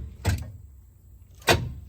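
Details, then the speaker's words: K5 squarebody Chevy engine won't turn over: single heavy clunks at each key turn as the starter engages very hard, with no cranking, and the flywheel won't budge with a pry bar either way. Locked rod or crank bearings are suspected. "can hear the starter it engages very hard i have gotten under it and pride on the flywheel both directions with a pry bar and it is just not budging"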